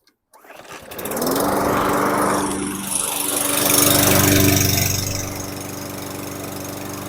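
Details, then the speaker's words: 2018 Murray walk-behind mower, Briggs & Stratton 625EXI, after repair: had low rpm from aged-out fuel, carb showed no blockage; with fresh non-ethanol fuel it fires quickly and settles into a steady even drone, no hunting or surging; normal running. "fuel aged out fuel just wasn't running good put fresh WWA non ethanol and think Pur like a mountain lion in Northern Colorado"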